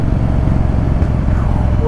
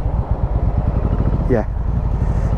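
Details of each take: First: Yamaha Virago 1100 V-twin riding after carburettor float valve and emulsion tube O-ring repair for a dead rear cylinder; steady deep even exhaust beat under about a third throttle, pulling stronger than before, normal running. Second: Yamaha Virago 1100 V-twin at idle: a lumpy, uneven thump with missing beats, running on the front cylinder only. The rear cylinder drops out at low revs and kicks in when revved; a fuel problem is suspected, and the carb float valve was later found gone.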